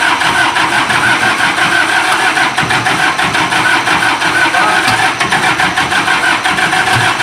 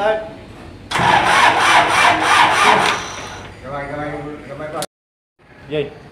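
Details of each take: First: Isuzu diesel generator engine after fixing a hard-starting problem: steady, even diesel clatter at constant speed with no misses or knocks; running smoothly. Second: Isuzu diesel generator engine with hard starting problem: roughly three seconds of loud rhythmic cranking, then a weak uneven run that fades out; slow, hard-starting diesel.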